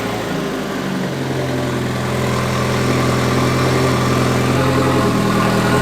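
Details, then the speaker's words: MK2 Golf with swapped 1.8T engine and 02J transmission, first time on the ground: steady rumbling idle with a rhythmic knock that goes away with the clutch pedal down; owner suspects flywheel or clutch. "sounds like my my flywheel or my clutch when i when i engage the clutch that noise goes away when i let it out it's like something's hitting on something"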